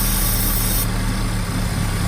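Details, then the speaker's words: 2.4 Chevy Equinox that won't idle: starts fine, idles up briefly, then stumbles into a low, lumpy rough idle. Spraying brake cleaner smooths it, pointing to a leaking gasket on the back side of the intake manifold (vacuum leak). "So right when you start this thing up, it runs real good. Just for like a second, kind of idles up a little bit, and then it'll start herking and jerking here in a second."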